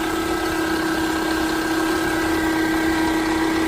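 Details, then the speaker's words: 2011 Toyota Camry idling with a loud steady piercing whine and vibration at startup; rusty alternator pulley, worn alternator bearing, fixed by replacing the alternator. "I think it's the bearing. See that bearing right there? On the alternator bearing? See that pulley? It's rusty. You gotta be the bearing right there."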